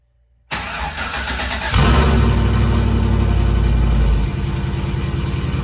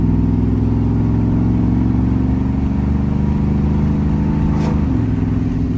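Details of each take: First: Vehicle with new long-tube headers and 3-inch pipe ending in a turn-down, not connected to the rest of the exhaust, first start in three days: brief crank, harsh very loud blatty roar settling to rough idle; open exhaust. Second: Truck with newly installed long-tube headers, at cruise: a smooth, quiet medium rumble, likely V8 around 3000 rpm, stepping down cleanly at each upshift. Normal exhaust note.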